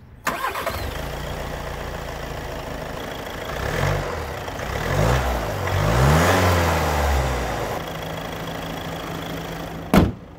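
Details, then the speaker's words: 2021 VW Tiguan 2.0 TDI 200 hp diesel, 4MOTION, 7-speed DSG: starts at once, settles to a steady typical diesel clatter, blips up and back down, then idles evenly; healthy engine. "A czyli No taki typowy diesel chociaż kabina jest nieźle wyciszona i klekot nie jest uciążliwy"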